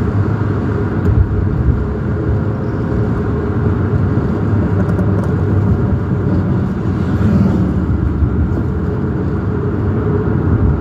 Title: Sports car loud rattling and making pop pop sounds like the engine is about to fall out